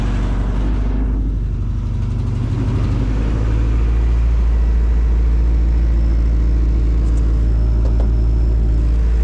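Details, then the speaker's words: Newly bought project car with a faulty idle air control valve that fell off: engine holds a steady but noticeably fast idle; high idle from faulty idle air control valve. "okay so let's set down to two that's a lot lower than it's ever idled before but you notice when i put my hole my finger in the hole for the idle air control valve it goes down even lower"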